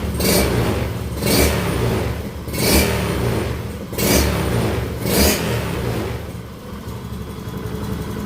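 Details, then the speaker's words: Honda Scoopy FI eSP scooter after head and block (cylinder kit) replacement and ECU reset, silent exhaust: crisp throttle blips about once a second, revs rise and fall cleanly back to steady quiet idle with no stumble; healthy throttle response. "selanjutnya kita geber-geber ya untuk responsivitasnya responsivitas gasnya mantap sekali"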